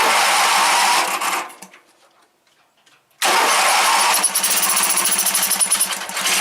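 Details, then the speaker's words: Briggs engine in a Wheel Horse GT-1800 after fuel pump repair, started choked and primed, then choke backed off. It catches, dies, refires and runs ragged and uneven. Owner suspects the carburetor needs rebuilding. "In this instance, it sounds like carburetor needs to be rebuilt."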